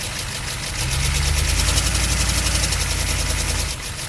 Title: chevy van 6.2 diesel engine knocking noise